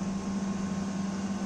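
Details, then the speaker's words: Window AC after servicing (evaporator and condenser coils water-cleaned, air filter refitted), compressor and fan running: steady low compressor hum under a smooth fan rush with no rattle or clicking; cooling is better than before servicing, normal operation. "Window AC मध्ये चांगल्या प्रकारची cooling आता आपल्याला पहिलेपेक्षा मिळत आहे."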